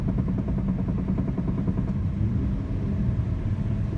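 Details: 2004 Chrysler Sebring: fast, rapid knocking over low engine rumble for about two seconds, occurring only just before the engine goes under load and vanishing under load; front-end knock, cause unknown.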